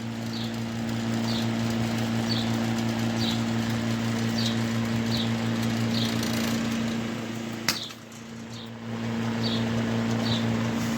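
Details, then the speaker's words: Vintage window fan motor found in an attic after sitting for years, running with a steady mains hum and a faint sharp snap about once a second as sparks fly; motor coils cracking and arcing, cord rubber cracked, deemed unfixable hazard. "take a look at the other side let's go ahead and flip it whoa what the hell's wrong with this thing see all those sparks putting off"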